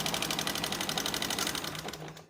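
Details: Engine with a harsh, tractor-like noise: fast, sharp metallic tapping of about twelve even ticks a second over a quiet idle. Tappet noise or piston slap from possibly no oil was suspected; the finding is excessive rocker arm clearance.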